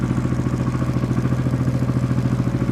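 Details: Honda XRV750 Africa Twin (RD07) V-twin just after engine rebuild, carbs not yet synchronized, one cylinder a bit lean: even loping thump at idle, about ten pulses a second, steady with no misfire or knock; healthy.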